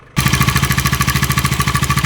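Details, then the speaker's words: New 2026 Bajaj Dominar 350 at just 1,300 km, idling with sudden sharp metallic tak-tak knock on every beat; bike also stalls when turning; owner suspects bad fuel or loose parts, taking it to service centre. "ಸಡನ್ಆಗಿ knocking sound ಬಂತು."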